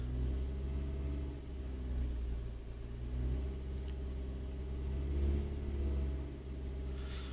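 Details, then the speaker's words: Renault Clio Mk3 after fixing a cylinder 2 misfire from water ingress at the pencil coils, codes cleared: engine starts and idles with a deep, even rumble, no stumbles or misfire. "So, if I switch the engine on, nice and smooth."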